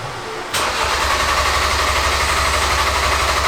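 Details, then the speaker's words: Ford Focus RS during fuel filter change, fuel pump unplugged to purge lines: starter engages and engine stumbles with uneven pulses about four a second, never settling, dying repeatedly; fuel starvation stall. "Okay, crank it again. Again? Yep. And it's gonna die again. Crank it again."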